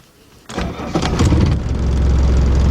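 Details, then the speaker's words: 1981 Mercedes-Benz 240D diesel, cold start: catches after half a second, then a heavy shaky uneven clatter; runs rough when cold and improves as it warms. "I don't like the way to thing running running kind of rough few hundred ninety nine thousand miles nothing"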